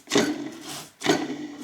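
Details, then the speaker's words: Volvo (S60/S80/V70/XC70/XC90 family) serpentine belt tensioner pulley, spun by hand off the engine: two dry rough rasps that die away slowly, a worn pulley bearing; whole tensioner kit replaced along with the belt. "ni kanske hör att det är litet oljud i den här. Hör ni det? Så att eh vi byter ut hela alltihopa här."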